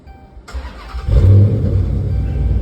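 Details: Dodge Charger after repair of P0340 camshaft position sensor fault (sensor replaced, wiring repaired with a harness section); formerly took a minute to start: short crank, catches within a second, smooth even idle; normal quick start.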